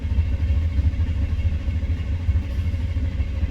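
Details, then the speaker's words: 1993 Chevy C1500 pickup, 5.7L V8, code 54 fuel pump relay circuit: low, uneven cranking thumps with a lumpy catch but no clean pickup, fuel-starved. Intermittent hard start with stumble, later starts right up; fuel pump relay fault confirmed. "now we get a lump we got a nose start now watch this key off key on there it's working starts right up it's intermittent it is a fuel pump relay problem no doubt about it"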